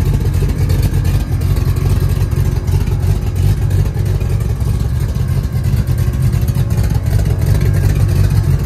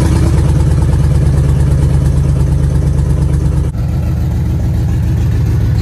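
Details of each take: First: 1966 Chevrolet C10 LS swap with Craigslist aftermarket cam swapped back in, untuned: deep lumpy loping idle around three beats a second, strong low rumble; running well, better than stock cam, a weird squeal. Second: 1966 Chevrolet C10 LS swap, before HP Tuners tuning: deep uneven lumpy V8 idle with occasional popping backfires, smells very rich; owner suspects it is dumping too much fuel, cause not confirmed.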